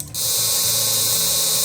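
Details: Homemade taser, 12 V supply, 555 oscillator driving a transistor that switches a relay into a transformer primary, neon lamp clamping output near 100-120 V: hard, steady high-pitched buzz while the button is held, relay chattering fast, normal.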